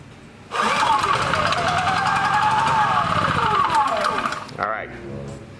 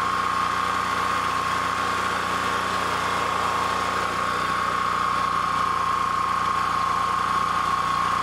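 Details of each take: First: Honda EB3000c generator with oil alert switch yellow wire disconnected: pulls, fires and runs about four seconds at a steady note, then revs sag and it winds down to a stop; still shuts down. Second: Honda EB3000c generator running with stator wires disconnected from the inverter: even, unbroken mid-pitched drone with no misses or surging; engine runs fine on its own, inverter diagnosed as bad.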